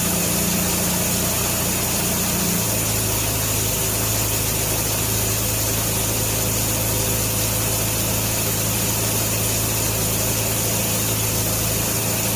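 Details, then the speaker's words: 1957 Nash Metropolitan barn find that sat for many years, running on old gas after swapped plug wires 3 and 4 were corrected, warming up: the engine drops from a quicker speed to a steady, even idle and fires cleanly. Normal idle. "this thing has always been such a sweet little car all i wanted to do was run and i couldn't keep my plug wires straight well i'm gonna let it sit here and just warm up for a little bit before i shut her down"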